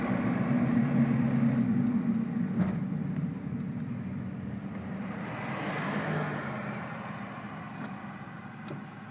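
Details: 2002 Ford Focus while driving over bumps: a few single dull clunks over road noise from the driver's side front; cause found to be a bottomed-out coilover, since fixed.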